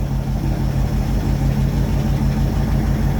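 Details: 1967 Ford F100 with FE big-block V8, cold start with choke off after a carburetor rebuild fixing a leaking accelerator valve: a steady, even idle burble with a smooth low rumble, no misses or knocks. Slight smoke is attributed to condensation. Normal idle.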